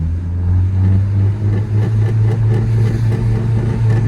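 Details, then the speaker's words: New-generation Saab 900 driving in first gear around 3,000 rpm after a partial fix: steady low engine drone under load with a faint buzzing dashboard rattle still present; vibration, possibly misdiagnosed. Rattle at about 3000 rpm. "So, if I go down into first gear, and remember again around 3,000 RPM is where I'd hear that before."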